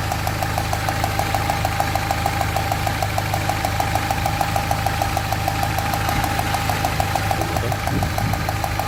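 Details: Peugeot 307 1.6i idling on three of four cylinders because ignition coil number 2 failed and gives no spark (codes P1336, P1338, P0300, P0302): an uneven thump about twice a second, a rough shake.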